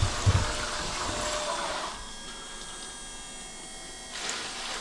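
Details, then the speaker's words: Bilge pump on a Halcyon 23 sailboat: steady pump whir turns thinner and airier then surges again, as if sucking air with water running low; owner suspects a leak in the bilge pump hose. "I think we have a leak down there in our bilge pump hose."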